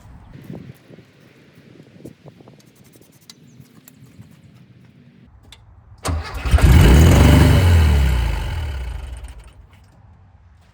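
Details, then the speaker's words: 1974 VW Thing with rare factory hardtop, long-sitting project: catches after the automatic choke is confirmed powered, then roars straight to high revs for about four seconds before dying; throttle stuck wide open because something was pushed fully down and tightened. "sounds like she wants to take off for the hills"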